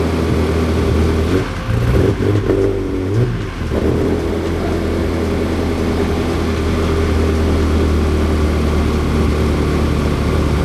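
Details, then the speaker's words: Ferrari 360 Spider, second start after a temporary vacuum-leak patch: steady fairly fast idle with an uneven stumbling pulse and brief speed waver. Idles up quicker and sputters less, confirming the vacuum leak, but still misfiring; more than two coils suspected. "So, it got up to idle a little faster, it didn't sputter as much, so we know that that vacuum leak is definitely, right, a big problem for it to idle correctly and all that."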